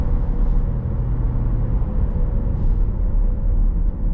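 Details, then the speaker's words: 2015 Corvette Stingray at 39k miles, cruising: steady low roar with a faint hum under wind and tire noise, unchanged on or off throttle, pitch changes when turning; owner suspects a worn wheel bearing. "hear that roaring noise and it don't make a difference on or off the throttle so i suspect that it's a wheel bearing only because if i'm going on a kirby road the noise kind of changes pitch as i'm turning the wheels"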